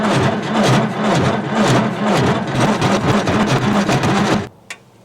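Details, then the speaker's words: 1950s Caterpillar Traxcavator track loader diesel, long unused, cranked while bleeding the fuel system: slow, labored starter churning at about two compression pulses a second, never fires, then stops; cranks but no start, no fuel yet at the bleeder. "didn't seem like I got anything"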